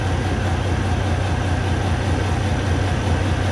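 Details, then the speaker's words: Kenworth W900 diesel, cylinder cutout test at idle: low, steady idle shows no change when cylinder six is cut (four also dead), so it isn't firing; valves found set too tight (spec 28 and 14). "so it's definitely cylinder number four and number six number two is making a difference"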